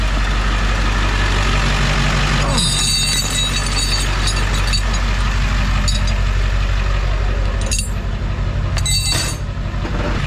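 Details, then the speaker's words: While driving, irregular metallic scraping and rattling bursts over steady road rumble from a loose tow chain hanging down and dragging on the pavement. "what is that noise oh I got a chain hanging down"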